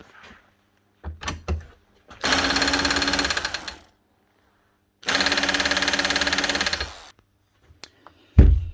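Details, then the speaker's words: 20-year-old (circa 2005) Makita HR2450 SDS drill, 110 V, with burnt-out armature: two short trigger pulls give a thin, slow motor hum with feeble hammer ticking; mechanism hammers but barely turns, running very slow. "Okay, she's making the right noise. Anyway, is attempting to hammer as a wee bit of impact out of it. Obviously not very much because it's barely moving because it was burnt out running very very slow."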